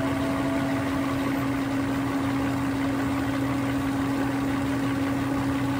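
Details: Mercedes-Benz W140 V12 M120 idling during an air filter change: smooth, steady idle with an even hum and a faint constant whine, no misses or knocks; normal idle.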